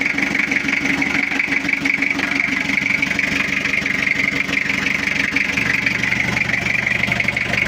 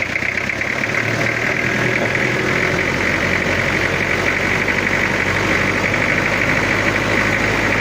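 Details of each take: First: Toyota Kijang diesel just started after cylinder-head rework, glow plugs installed, cover still off, cold: even, steady idle with regular beat, no knocks or misses; already sounds good. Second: Toyota Kijang diesel after head rework, idling during radiator bubble/pressure test before injection/tuning setting: dry, harsh idle clatter with uneven coarse knock; rough because not yet set.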